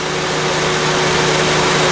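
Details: 2003 Honda Civic 1.7 after no-A/C (warm air) repair, compressor engaged and holding steady: steady idle with constant hum and faint compressor whir, no cycling or knock; vents blowing cold, normal.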